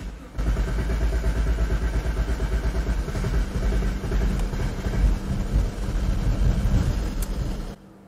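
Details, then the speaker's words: 2010 BMW 535i xDrive wagon (E61), about 137,000 miles, auction car with improper repairs, first start: uneven lumpy beat and irregular revving, idling on only some cylinders; rough running after start, cause not yet found. "oh it's idling on some number of cylinders we're just gonna let it let it do its thing it's Cam and hard and maybe it'll smooth itself out you know or stall it could always do either one"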